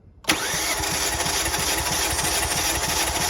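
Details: 2018 Kia Forte cranking during a compression test on cylinder one, gauge in an M12 fitting: the starter catches, then an even rhythm of about six beats a second with no uneven beats; the cylinder read about 190 psi and held.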